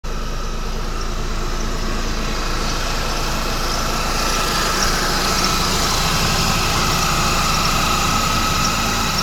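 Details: 2011 Mercedes-Benz E350 petrol engine idling: a quick, repeating high chirp or squeak from the belt area, about three to four a second; the belt tensioner is seen moving in sync with the squeak.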